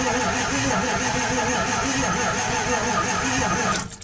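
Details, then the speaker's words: 2002 Ford F250 7.3 Powerstroke diesel, sitting 2 years, cranked after running the glow plugs: the starter drags with a slow grinding churn and never catches; batteries are running low; owner suspects poor compression. "Okay, I can tell the batteries are already getting low."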